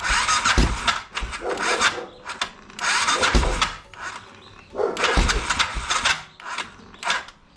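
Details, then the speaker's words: BMW F650 with Rotax 652cc single after carburetor rebuild, running extremely rich: repeated cranking bursts about every two seconds with harsh rasping grind, engine never catching; owner suspects a failed starter clutch. "and then also it sounds like the starter clutch is also gone now so I'll have to replace that something to look into unfortunately in the next video"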